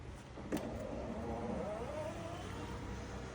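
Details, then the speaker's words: 2006 Adria Twin camper van electric step, operated by its switch: a click, then a quiet, steady motor whir for about 1.5 seconds as the step slides out; working smoothly. "All right, so it's working really nicely."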